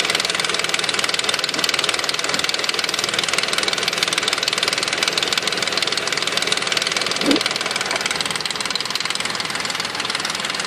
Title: 2005 nissan quest rattle noise front of engine